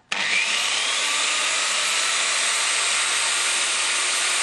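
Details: Stern angle grinder after its gearbox was greased: steady high-pitched motor whir with an even tone and no growl, hum or whistle; gearbox runs smooth.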